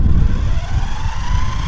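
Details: Durafly Auto-G2 V2 821mm RC gyrocopter auto-start rotor spinning up before taxi: a thin electric whine climbs steadily in pitch over heavy low rumble, smooth with no grinding or stutter.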